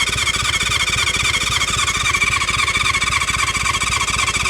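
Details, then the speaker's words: 1976 Honda CB550 four-cylinder, sat for years, electric start with stuck throttle, tried choke and no choke: steady starter whir with even compression beats near 220 per minute but never fires; cranks without starting, compression later confirmed in cylinders one and four. "Hey, hey. It wants to. My throttle is stuck. Oh, yeah. Come on. Come on. Come on. Oh, it wants to so bad."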